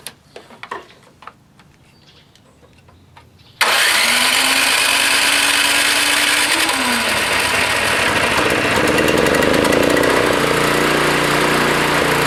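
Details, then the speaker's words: Toro Power Clear 621E snowblower, 163cc OHV four-stroke single, on external tank, choke on, key start: catches and revs wander up and down; surging idle, likely faulty carburetor, probably another new carb needed. "oh my key works anyway yeah still surging ah damn another new carb i guess you"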